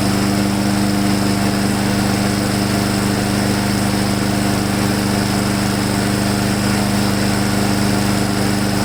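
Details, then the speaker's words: Husqvarna mower single-cylinder engine after installing a modified replacement carburetor, on restart after an earlier sputter: steady, even buzz at constant speed, no sputter or misses; running smooth. "No sputter in it anymore. Seems to be running really smooth."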